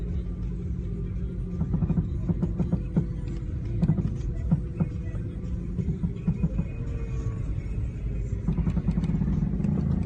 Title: 2003 Ford Mustang V6 making creaking sound when turning slowly?